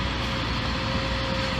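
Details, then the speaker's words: 2014 Subaru Forester, 2.5 L non-turbo boxer, about 68,000 miles, idling just after what is likely the first spark plug change, which seems to have fixed an earlier rough idle: steady even idle hum with faint constant whine, no stumbles or misses; smooth normal idle. "Starts up a lot nicer than it did before. Can already tell that it's not not doing a rough idle or anything right now."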